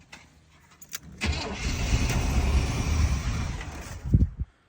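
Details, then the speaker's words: 1987 Chevy K5 Blazer 350, long-sitting, fuel poured in: cranks, catches and runs roughly about three seconds then dies as the fuel runs out; fuel pump not kicking on, relay clicks but no power reaches the pump, so pump is dead. "So, yes, we discovered for sure the fuel pump is out. No real surprise. You don't hear didn't hear it kick on."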